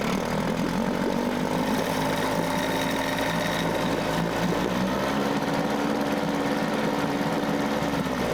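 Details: Mercury 9.8 hp 110 outboard after clearing a clog in the pee hole and adjusting idle: an even, buzzy two-stroke idle holding a steady pitch with no stumbles or surging. It is a normal, healthy idle.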